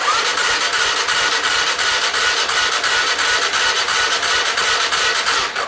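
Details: Kawasaki Sherpa 250cc four-stroke single-cylinder motorcycle that stood unused for over a year. On electric start with ignition and headlight on, it cranks steadily at about three pulses a second for six seconds but never fires. Battery holds over 11 V during cranking, so a weak battery is ruled out.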